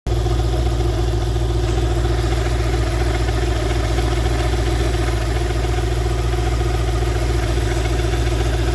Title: bruit moteur (poulie du bas?)